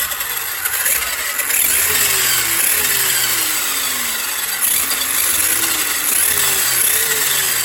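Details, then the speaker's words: Losi 8ight Tekno RC with Castle Mamba Monster ESC and Castle motor, run after motor re-adjusted for tight gear mesh and transmission fitted: electric whine sweeping up and down with throttle over light gear hiss, no grinding; drivetrain spins freely, normal running. "We're just gonna fire it up and see if I've done everything right."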